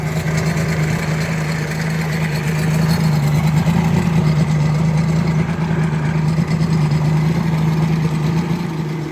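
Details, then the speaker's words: 1986 Mercury 90hp outboard idling with exhaust submerged in a water tub after water pump replacement; steady, even, quiet drone, no misses or knocks, pump picking up water with a strong stream; normal idle. "All right, folks, there it is. Running. Pumping water on its own. Nice strong stream."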